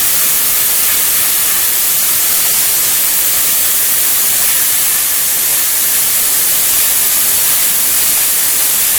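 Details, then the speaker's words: Lotos LTP5000D plasma cutter at 50 after poor cutting at 30: steady, even high arc hiss with no sputtering or dropouts; solid straight cuts, clamp cable not hot; normal plasma cutting. "right okay pretty good solid cuts e all right okay cable's not hot it's a good sign real good sign"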